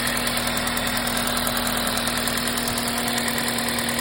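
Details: 2005 Toyota Matrix XR AWD, 1ZZ engine, 258K miles: fast, light top-end ticking about three per second over a steady idle hum, slowly worsening over months; timing chain tensioner replaced with OEM part 25k miles ago, cause undiagnosed.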